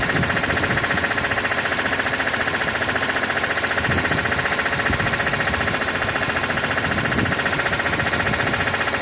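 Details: 2006 BMW E46 M3, 42,600 km, warm idle above 80°C oil temperature: steady mechanical ticking about three per second over even idle; source unclear, owner wonders about the oil pump.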